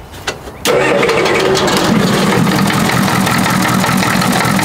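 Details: Old Ford diesel truck after glow plug switch repair, started without starter fluid after 10 seconds of glow plugs: brief crank, catches within a second and settles into a steady, even diesel clatter at idle; clean start.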